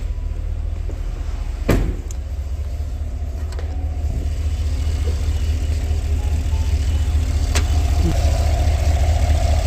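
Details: 2017 Cadillac Escalade petrol V8, 126,000 km, after replacing misfiring spark plugs (cylinder 1): idles with a low, steady, smooth rumble, no stumble, misfire counter at zero.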